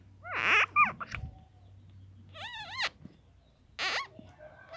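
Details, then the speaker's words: Toyota Kijang rusted clutch release cylinder worked by hand; three sharp, rubbery squeaks rising and falling in pitch; it binds in the extended position, so the release bearing doesn't return and the clutch slips. "jadi ada suaranya di sini yo, ada suara di sini dan macetnya posisi di luar gini."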